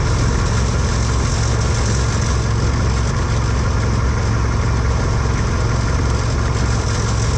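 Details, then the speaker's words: Husqvarna hydrostatic lawn tractor running: steady engine drone with a faint tinny buzz from the brake/clutch tensioner spring rattling against the frame; touching the spring stopped the noise. "I could tell it was touching the bottom of this, and when I would touch it, it would stop making noise, like there was a lot of noise"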